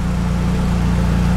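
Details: Small clutch-equipped engine that had no compression, now running: steady, even low rumble at idle with no knocks, misses or surging; engine idles smoothly and sounds healthy.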